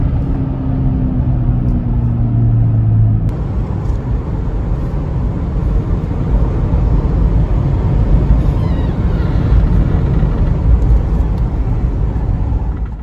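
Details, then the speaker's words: 2004 Chevy Trailblazer LS EXT 4x4 4.2L after replacing front wheel hubs (passenger-side hub hummed, car pulled right); coasting downhill, only low even road rumble, no hum, hubs now healthy. "downhill run on this road i can coast i don't have any engine noise whatsoever and didn't hear a thing so that humming noise was definitely the wheel hub because now it is no longer humming"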